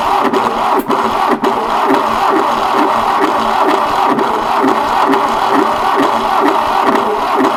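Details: 1968 Fiat 500 twin-cylinder engine, unused since the early 80s: labored whirring turnover at two to three strokes a second that never catches; slow cranking, starter suspected, new bushes and brushes ordered.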